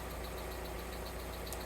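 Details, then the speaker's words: GTV petrol engine at idle after cambelt and service, variator now much quieter: a light, fast ticking from hydraulic lifters dry of oil after long disuse, quieter after about 5 minutes' warm-up, expected to fade fully warm. "the tapping you can hear is the hydraulic lifters because they're going to be drrive of oil after not being used for so long so it should quieten down one the engine's warmed up"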